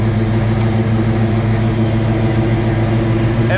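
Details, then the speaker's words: 1966 Ford Mustang Fastback, 347 stroker V8, T5: steady deep idle keeps running after key off, stuck starter solenoid; engine run-on after key off. "it's still running? That's a problem."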